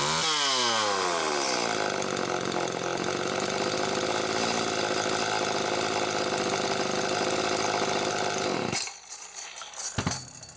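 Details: Late-model Homelite Super 2 chainsaw, circa 1992-93, carburetor-mounted oil pump serviced, tripod test run, muffler close to the mic: climbs quickly to a high steady scream, holds without bogging, then drops away; oil now pumping properly. Normal running.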